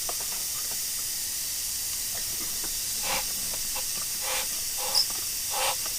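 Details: 2008 Mercury 225hp Optimax gearcase off a Champion 198 SC, water in lower unit, removed and pressure tested, no engine running: steady high hiss with soft puffs; air leaking past bad prop shaft seals, top end thought fine.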